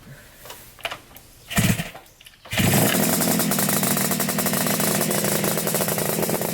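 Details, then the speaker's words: 1975 Yamaha RD350 cafe racer first start after sitting about four years, started on the second kick. Ragged, uneven, blubbery two-stroke burble; owner suspects the choke is on. Rough rich running after start. "Mendy it's cuz the choke is probably on oh yeah oh yeah oh sorry start it up again with the choke off see if it runs"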